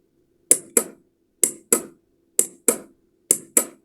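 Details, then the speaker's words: Electromechanical relay powered from a 12 V DC adapter during a bench test; crisp paired clicks about once a second in a quiet room show the contacts switching, passing the second of three tests. Normal relay switching click. "Guys, do you hear the switch? This is good."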